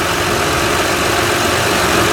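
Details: 2006 Honda Odyssey EX-L just after replacing the power steering pump (the original leaked at the shaft) and fitting a new belt: a smooth, even idle with no pump whine or belt squeal.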